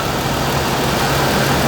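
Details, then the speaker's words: 2013 Toyota Tacoma squealing at idle: constant hoarse rough whirring over engine hum from a worn idler pulley bearing, grinding felt through pry bar; noise changes when pressure is applied to the pulley. "I can feel the grinding and the bearing material just disintegrating all through my hand. So I can actually feel it. There's a difference between this bearing and pulley with the other pulleys."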